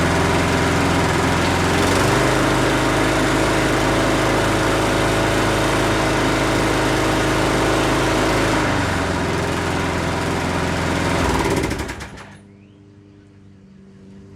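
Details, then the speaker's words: Husqvarna 510 MD push mower that had hit something with its blade, running after the flywheel key was replaced. Steady, even putter with no sputtering or misses until shutoff; slight vibration remains from a small crankshaft wobble. "that worked good guys it's not sputtering and puttering or anymore it does have a vibration and that's due to the small amount of crankshaft uh wobble"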